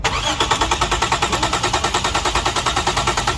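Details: 2007 Lexus GS300, engine cranks but won't start, check-engine light not on at key-on: steady fast starter churn with even compression pulses about six a second, never catching.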